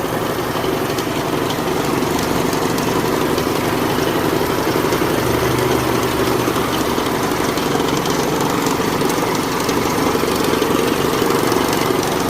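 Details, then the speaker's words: 2004 PT Cruiser 2.4 at idle: a busy, rough idle with a loud, uneven rattling clatter over the engine beat, heard very loud from underneath. The source is unconfirmed; a failed tensioner is hoped for but unverified. "car as I press on it you could hear the sound change but I'm hearing something very loud under here"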